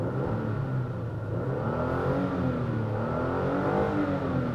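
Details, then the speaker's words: 2016 Toyota Tacoma 4x4 TRD Sport V6, recorded inside the cab: engine revs smoothly up to redline, even pitch climb with no knocks; normal engine revving. "you can hear that engine going all the way up to the red line. I love how it sounds at maximum speed, but outside it doesn't sound like that."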